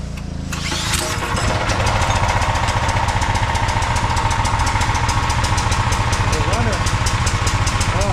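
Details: Briggs and Stratton 5,000 W generator that sat in a field, after ultrasonic carburetor cleaning, started by hand: catches after brief pull, settles to quick even beat of three to four firings per second, some smoke; starts and runs cleanly.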